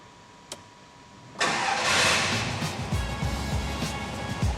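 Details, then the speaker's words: Rover P5 V8, first start after fitting a new high-torque starter motor: short crank, catches at once, settles into a steady even burble; starter engaging properly on each try. "it's alive it's good so I'm just testing it over and over again to make sure that actually the starter motor is engaging properly on each goes but it's really really good"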